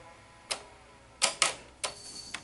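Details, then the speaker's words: Sony SL-HF900 VCR after replacing bad idler motor board capacitors and cleaning sticking solenoids: sharp irregular solenoid clicks, no motor hum; on pressing play the drive motor still does not run. "okay it's it's gonna work because you can hear the clicking so the solenoids are now engaging like they should"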